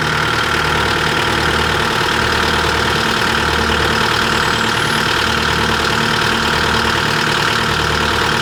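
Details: 2024 CAT 289D3 skid steer diesel running after a crank-no-start fix: the water separator bowl had not seated after draining, so the bowl was replaced and the fuel primed. Smooth, regular idle with an even clatter and steady speed, no hunting or dying.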